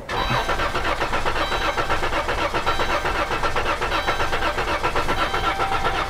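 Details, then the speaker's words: 2012 Dodge Caravan / Chrysler Town & Country 3.6L V6 with misfire complaint, starter cranking: lumpy, uneven beat in the compression strokes; scope relative-compression test confirms two cylinders low on compression. "다수의 실화 코드는 여러분, 다시 말 하지만 그 소리가 바로 단서였습니다 엔진의 크랭크 소리가 그처럼 들린다는 것은 압축 문제가 있음을 말해주는 것입니다"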